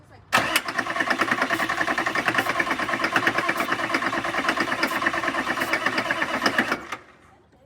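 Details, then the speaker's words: 1995 Chevy 6.5 diesel pickup, battery recharged, ether tried: steady cranking about two beats a second for six seconds, one hint of firing but no start; fuel not reaching the injectors, fuel leaking. "that's weird well you can hear once to fire but it doesn't fire"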